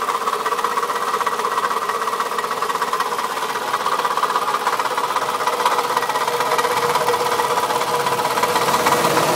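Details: 2004 Toyota Camry at idle, noise that started today: sharp, even tapping about three times a second over a thin engine hum. Owner suspects a bad piston; not confirmed.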